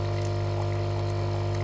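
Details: Dolce Gusto capsule machine brewing with a refillable substitute capsule: steady low pump hum and a trickle of coffee through the capsule. The capsule was hard to fit and pierce.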